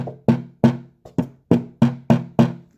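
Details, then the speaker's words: Leslie Model 25 speaker cabinet during restoration: hand taps on the wooden rotor drum give a hollow knock with a short buzzy rattle; source not yet found, glue joints to be checked and reglued. "a rattle there so um if i can make it rattle by hitting it like that there's a good chance that a big bassy speaker firing right at this thing can also make it rattle"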